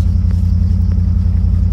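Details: Chevy C3500 with a 5.7 Vortec V8, run again after sitting two years, warm at about 150 degrees after 10–15 minutes, battery at 15 volts: a deep, even rumble at about 500–600 rpm idle, no miss or knock. The idle is normal.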